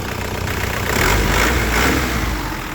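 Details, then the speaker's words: 2001 Isuzu Panther LS manual diesel at idle and brief revs: steady, even clatter, stable with no limp, ticking or odd knocks; healthy normal idle. "Stasionernya enak, mesinnya stabil, itu tidak pincang ya suaranya. Tidak ada yang aneh-aneh, tidak ada yang tak tak, tidak ada."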